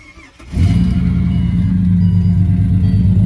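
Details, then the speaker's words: Project car engine at idle: catches and settles into a deep, lumpy, uneven beat; number four cylinder has only 60 compression where it should be around 200. "as you can hear the engine is hurt number four only has 60 com it should be around 200"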